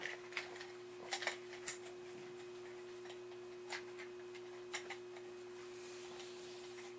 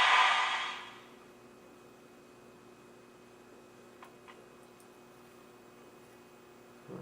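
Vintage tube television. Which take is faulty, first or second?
second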